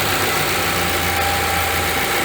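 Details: VW Gol that made noise when accelerating, after timing belt work and reassembly, warming up; steady even idle with constant hum, no knocking or ticking; noise appears gone, cold test still pending.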